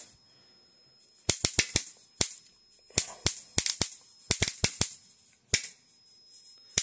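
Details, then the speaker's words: Homemade high-voltage bifilar transformer passing a 110V 60Hz high-current pulse through a spark gap, voltage raised: irregular snapping cracks in bunches over a faint steady whine as the arc surges intermittently; cause unknown. "Like it's putting a lot of power through that arc every once in a while."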